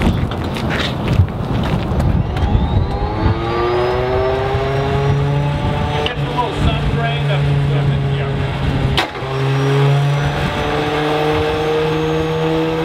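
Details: Stinson L-1 radial aircraft engine, long-standing failure to start and run smoothly, start attempt after some work: catches and climbs in pitch but surges and stumbles instead of settling.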